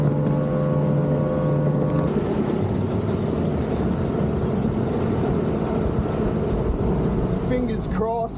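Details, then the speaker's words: Mercury 3L outboard, 225hp carb converted to 250hp EFI, on a 20ft boat at about 5,200–5,400 rpm, possibly 80 mph. New fuel pump fitted, lift pump regulator raised to 8 psi. Steady, strong drone with no stuttering or cutting out. Normal running at speed. "that new fuel pump may have fixed it and up in that lift pump um 2psi man touchwood it hasn't cut out yet"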